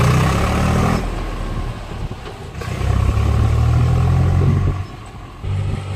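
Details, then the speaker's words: Swaraj 735 tractor on a road test after replacing the right-side brake drum bull pinion bearing and oil seal: a deep, even engine rumble rising and easing with throttle, with no grinding or knocking from the right wheel end; it runs normally and brakes well. "Sound ఏం రాలేనా ఇప్పటికి అప్పటికే చానా మేలు ఇప్పుడు ఉమ్ 100% ఇప్పుడు బాగా బాగా చేసి ఓకేనా"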